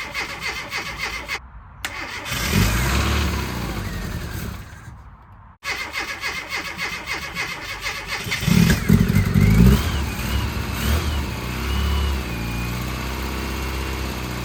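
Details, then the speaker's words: Classic Mini Cooper, freshly rebuilt, first start attempt after fixing the immobilizer key fob battery: cranks, catches briefly on carb cleaner sprayed into the throttle body, runs ragged and dies; fuel not reaching injectors. "so there's obviously a fueling issue where it's not getting to the fuel injectors which will be the thing I need to look at next"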